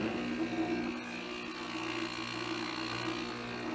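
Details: Vintage window air conditioner, possibly a 1968 thin-line 7,500 BTU unit: steady even hum with a smooth compressor drone and a fan whir, no knocks or rattles; running normally.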